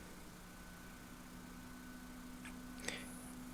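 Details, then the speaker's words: 2003 Panasonic DMR-E100H DVD recorder during repair: after shutting down, a quiet steady low hum with a faint thin whine as the hard drive spins back up; normal hard drive spin-up. "it'll come back up now you hear the hard drive"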